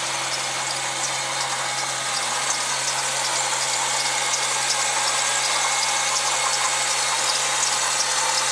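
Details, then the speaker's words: 2000 Jeep Wrangler TJ with 63,000 miles idling, a light high chirpy squeak over it from the serpentine belt itself, not a bad tensioner or idler pulley; belt replacement planned. "The next thing I'll probably wind up doing is the belt. As you can hear, it's squeaking a little bit. That's that typical belt squeak on a Jeep."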